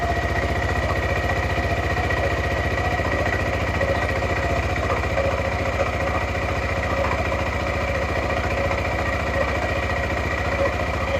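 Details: Suzuki Burgman 400 (2007-2017) after belt replacement and CVT maintenance: even idle beat of about four per second with light metallic tings as clutch pads contact the bell housing; normal, quieter CVT running.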